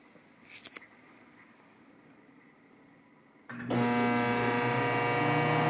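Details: Samsung 1.9 cu ft microwave: quiet for a few seconds, then a loud steady buzzing hum with a rattly edge starts abruptly on start-up; vibration noise when starting.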